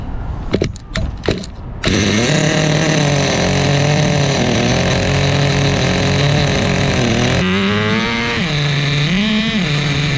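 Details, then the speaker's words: Repaired vintage 2000 Duratrax Nitro Quake RC monster truck, TORQ 21 Big Block nitro engine, preliminary first start, needles set rich: few pull-start rasps then steady high buzz dipping and climbing with throttle blips; runs cleanly on rich tune. "We got fuel, and then we're gonna run rich and loud. Let's fire it up."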